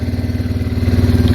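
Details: Arctic Cat 366 after a hot no-start, with the owner suspecting water in the gas through a cracked corner: the single-cylinder engine is now running a low, fast, even throbbing idle with a slight rise partway; it runs steadily again.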